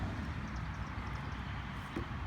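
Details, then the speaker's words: Toro Recycler mower, 6.75 149cc engine that wouldn't start or stay running, after replacing missing carburetor governor pin with rolled tin foil: low steady single-cylinder thrum holding even speed without surging or dying; running normally. "so i just went got some foil rolled it through the loop and put it in there to take place of the pin so you know like when the engine is it's able to govern itself and now it runs perfectly fine again"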